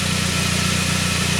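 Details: 1999 Saab 9-3 after its crank-no-start; a healthy signal now reads. Smooth, steady idle with an even low hum and no stumbles, ticks or misfires; the engine is running normally.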